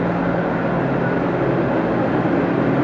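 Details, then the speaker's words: Walk-in cooler running, cooled from 80 to about 50 degrees, both fans running, evaporator filled fully with no refrigerant hissing; even steady hum, no knocks or rattles, running normally. "But it sounds good. This evap's filled to the top, going all the way through, so everything is as it should."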